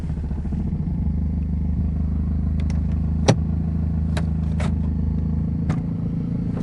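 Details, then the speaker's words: Toyota Altis at idle; steady low hum with scattered light plastic clicks and buzzes, vibration louder at low idle; loose engine cover vibrating against the valve cover. "Actually mas malakas yung vibration kapag naka-minor yung makina."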